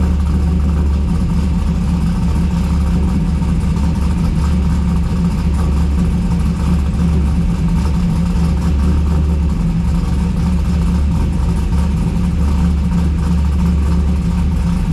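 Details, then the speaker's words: Car with BTR stage 4 cam, true cold start after sitting two days: deep, steady idle with a rhythmic lope and some chop, less than expected for the cam; runs great, normal lopey cam idle. "So you can hear the chop. It's got a little bit of chop in it, and that was a true cold start."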